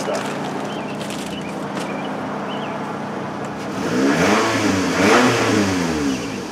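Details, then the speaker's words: Toyota Camry that had crank-no-start from failed fuel pump, after fitting a used OEM pump replacing a junk aftermarket one: runs steadily, revs cleanly and settles, no stumbles or knocks; healthy. "She runs now, baby."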